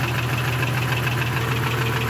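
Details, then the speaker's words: Rover 1 Jeep 4.0L after sitting open three months: steady low idle with a dull bottom-end knock, much quieter than before; cylinder one possibly missing; owner unsure if piston slap or rod knock, rods looked fine when inspected. "so i don't know if that's piston slap now or rod knock or something"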